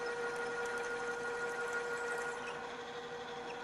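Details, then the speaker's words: Drill, re-run at a lower spindle speed after chattering too fast: steady, even hum with a constant tone and no chatter or squeal, the bit now cutting smoothly. "this time run it on a lower speed the drill is cutting much more smoothly"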